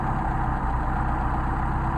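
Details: Mercedes 190SL with rebuilt Solex carburettors, thermal-cycled and leak-checked, then started cold and hot with the mixture screws being set: smooth, even low idle with a steady beat and no misses or stumbles. The carbs run cleanly.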